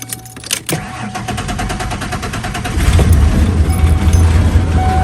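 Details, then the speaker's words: Junkyard 1994 Ford Ranger XLT 4x4 that has run up to 45 minutes without overheating: the engine fires and settles into an uneven, lumpy idle with a wavering note. The owner suspects a faulty mass airflow sensor. "it does run rough like this but again I think that's because of that mass airflow sensor"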